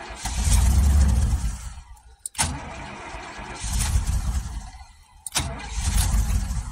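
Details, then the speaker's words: 2000 Chevrolet K2500 4x4 5.7 V8, sat for years with rodent infestation: starter catches, engine fires and runs about two seconds then dies, three times; security light flashing, owner suspects missing computer causing the stall. "could be because that computer's not in maybe that's why the security lights Flash in and we're just playing a game start for two seconds yeah I think that might be"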